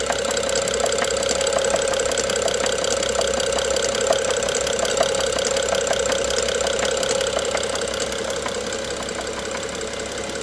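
Steady idle with a light, fairly regular tapping around three to four per second riding over the engine note; a knock, cause not pinned down.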